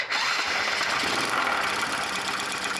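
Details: Junk Honda Super Cub bought at auction, engine apparently modified, carburetor cleaned and found fine: small single revving busy and loud with rough clattery top end over exhaust; strange abnormal noise, cause unclear.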